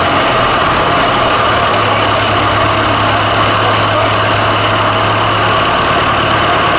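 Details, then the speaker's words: Fordson Super Major diesel after fitting replacement engine, new hoses, filters, fan belt, battery leads and starter solenoid switch: steady, even clatter at constant idle, no misses or knocks; picked straight up, running smoothly. "yeah that was good though wouldn't it yeah that sounded nice and it picked straight up"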